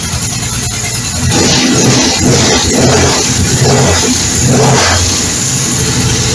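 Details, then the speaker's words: Norvil-built 2012 Norton Commando 850 MKIII twin, 900 miles, recommissioned after sitting 10 years, first start: fires and revs freely with steady even beat, no knocks; light rattle is the stand/hoist, not engine; normal running. "anyway that sounds great really uh really pleased with it"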